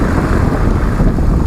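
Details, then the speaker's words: Braking test after about 1,000 km on cheapest new pads modified with a centre slot cut through the lining and chamfered edges to cure squeaking: low road and wind rumble through the stop, no squeal, squeak or grinding; quiet brakes. "[музыка] ни единого писка отлично работа проделана не зря"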